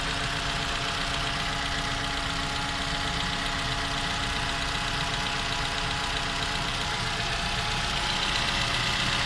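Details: 2015 Toyota Camry (built December 2015) with 2AR engine, 16,500 km, cold idle: a light, fairly regular tapping of about four per second rides over it, heard when cold and for the first 10 minutes; knock source not pinned down.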